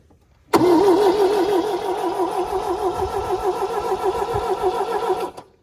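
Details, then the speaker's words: 1974 MGB parked 30 years, hot-wired, fuel pump wires unhooked. Starter cranks steadily at about three compressions a second but the engine never catches; owner suspects fuel is not filling the carburettor bowls. Cranks but won't start, fuel starvation. "okay it's not really trying to hit which I I suspect that it's not actually getting fuel where it needs to be"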